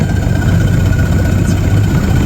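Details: Outboard on a newly bought used Gheenoe after stalling in neutral, old gas suspected; low, steady burble with even beat, no knocks or rattles; idling smoothly.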